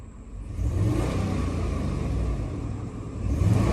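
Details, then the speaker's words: 2009 Chrysler Aspen, 157,000 miles, code for cylinder 8 misfire: rumble swells under throttle with uneven lumpy beat, misfire felt when accelerating; tune-up kit planned. "so I can definitely feel that whenever I am hitting the gas so I'll get a tuneup kit ordered for this and we should be all ready to go"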